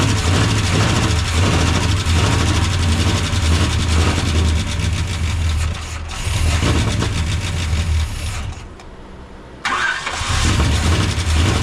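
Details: Freshly swapped Gen 6 454 big-block V8 with hydraulic roller cam in a 1976 C30 dually, carb just refitted: catches, runs rough, revs sag, nearly dies, then recovers; won't hold idle. Owner suspects choke or idle-speed setting, unconfirmed.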